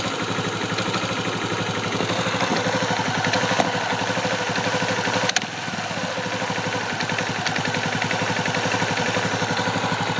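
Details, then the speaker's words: 2004 Kawasaki Bayou ATV, timing chain snug and timing set correctly: steady pulsing idle broken once by a sharp knock that briefly drags the idle; knock at low idle and on throttle, sometimes stalls, cause unknown. "but you can hear the little uh knock when I give a little bit of gas not quite sure if it's a like if that's just the way the engine sounds or it's just that its age"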